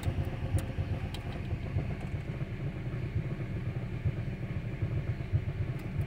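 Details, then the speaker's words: Dodge Journey 2.4 (replaced engine and computer), idling with multiple stored codes and misfires on cylinders 1 and 2 and coil: low, lumpy idle with uneven pulses, engine unstable and shaking; rough idle. "el problema que nos presenta tiene inestabilidad el motor múltiples fallos de aceleración y tiembla"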